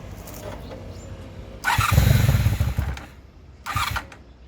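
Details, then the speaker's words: Honda Magna 750 motorcycle starter motor test after replacing its worn brushes (oil had leaked past a poor seal into the motor): short starter bursts spin cleanly, engine briefly catches, then another quick burst; starter works fine. "Nó chạy tốt ... chỉ cần nghe thấy âm thanh !!"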